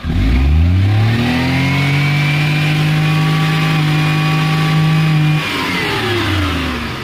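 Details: Maruti Omni CNG/petrol van with an automatic gas/petrol switch and new carburettor, running on petrol: picks up cleanly, holds a steady rev, drops back evenly; healthy.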